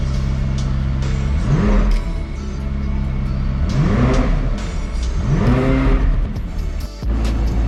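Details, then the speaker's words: Damaged McLaren 540C salvage rebuild, first start after fitting the new radiator and bleeding the coolant: a loud idle with three clean blips rising smoothly and settling back to a steady idle; the engine revs normally. "Yes guys, the McLaren is back on and it sounds unreal. I don't know if you can hear me, it's so bloody loud."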